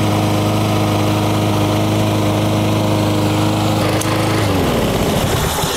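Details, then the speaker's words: Lawn mower small engine after the carburetor fix (needle valve and float removed, small jet enlarged): holds an even, steady speed with no surging, then winds down. "you see there that's much much better you don't have to listen to that very annoying noise"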